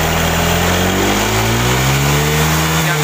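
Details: Honda Vario 125 fuel-injected scooter after repair of bogging at high rpm: smooth, clean rise and fall in revs, even note, no knocks or rattles; back to normal, healthy.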